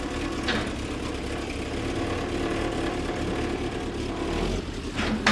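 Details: Triumph Spitfire after rebuilding the Zenith Stromberg CD150 carburetor and fitting a new fuel pump, starting to drive off the trailer: engine catches and settles into a steady, even run with no knocks or stumbles; sounds healthy.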